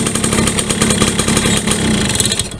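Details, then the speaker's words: Yamaha V75 72cc two-stroke that is weak, struggles on climbs and runs rough when hot: ragged, uneven, rattly buzzing. The piston is suspected loose and worn and the connecting rod worn with age; the fix is an oversize bore-up. "nah ini kalau panas juga kasar nah ini perkiraan kita di bagian pistonnya udah lobok teman-teman ya bagian pistonnya lobok waktunya minta naik OS lagi"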